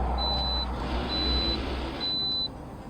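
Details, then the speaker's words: Toyota RAV4 that hesitated and died at stops with code P0017 cam/crank correlation caused by low oil after a bad oil change, after refilling oil: low steady idle hum, no ticking or knocking, repeating chime over it; noise gone, normal idle. "it got full there's no noise no more noise yep okay let's check for next"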